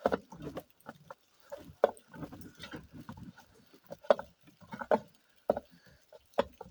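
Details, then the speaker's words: Vivohome portable washing machine after fitting a slightly too-tight replacement belt, turned slowly by hand: irregular scraping knocks every couple of seconds from the impeller rubbing; tight belt suspected of angling the impeller pulley. "I want to say it's from the impeller there."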